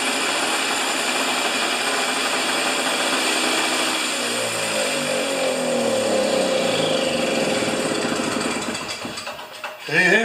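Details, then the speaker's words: Husqvarna snow thrower after governor repair, reassembled, started without choke: high buzzy note holds steady at set 3800 RPM without hunting or surging; governor working, runs healthy. "so the RPM is set at 3800 uh I saw stuff all over the map from 3600 to 4500 so I think 38 is a nice RPM for this old girl"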